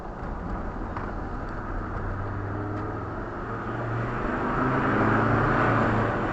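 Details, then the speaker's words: Land Rover Discovery 2 TD5 after turbo wastegate replacement, accelerating under load in second gear to about 3,500 rpm. Smooth diesel drone builds steadily with a rising turbo whistle and no flat spot. Boost is now normal. "that was 3 and a half thousand that was in second 34s and it is absolutely fine that is definitely good"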